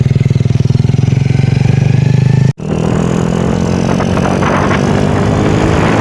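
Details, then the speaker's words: Honda Revo Absolute motorcycle after replacing worn valve rocker arms that caused rough engine noise; even steady firing pulse at idle, then smoother fuller run, no top-end ticking, only carburettor heard; normal running. "Hai suara juga halus sering artinya"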